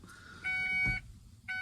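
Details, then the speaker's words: 1994 Ford F250 with no crank no start, battery reconnected and key off: high electronic beeps in short bursts show something still powered, suspected of draining the battery; cause not confirmed. "Okay, well, whatever that sound is, that's obviously what's draining his battery, because there's still"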